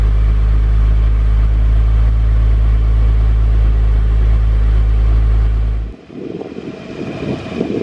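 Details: Honda S2000 startup sound clip with throttle blips, exhaust intended to give the owner's desired sound: deep steady drone, smooth even rumble, no rattles, then shut off; healthy, loud-ish exhaust.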